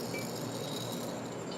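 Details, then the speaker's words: Vehicle CV axle hand-spun with tie rod and upper control arm loosened: dry, even hiss with faint clinks like a rough bearing; owner suspects the axle, not confirmed. "like a bearing is what it sounds like to me"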